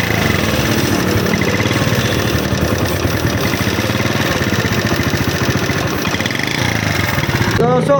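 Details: Honda CD70 single-cylinder motorcycle engine after repair (oil not reaching head fixed, head refitted, tappets adjusted): idles with a steady, even beat, no tapping or clatter from the top end; normal healthy idle.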